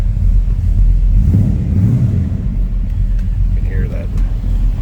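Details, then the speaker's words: 1953 Ford F100 short box step side with 354 Chrysler Hemi V8 and 200R4 automatic, shortly after a cold start: deep even V8 burble at idle with no misses, knocks or ticks, exhaust not overly loud; runs smooth and healthy. "runs smooth and it sounds good. Slip around to the back. Nothing over the top."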